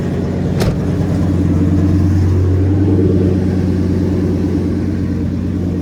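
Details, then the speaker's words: 2000 Ford F350 dually V10 after exhaust repair with new tack-welded tailpipe: deep, even rumble swelling cleanly on a short rev and settling back, no rasp or leak puff; normal exhaust note. "Sounds good. Sounds better. Now, rev it up a few times."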